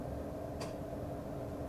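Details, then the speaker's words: 2014 Fiat 500 Sport whose air conditioning won't kick in; the AC compressor relay is commanded on via MultiScan diagnostics and gives one crisp click over steady background hum; relay switching properly, so the relay is okay. "Oh, that's the relay. So, we know the relay is okay."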